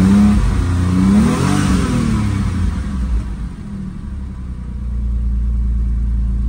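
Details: 2002 Porsche 911 Targa 996, after fixing a water-damaged immobilizer no-crank no-start: engine blips up and smoothly back down, then settles into a steady even idle without stumbling; normal running and revving.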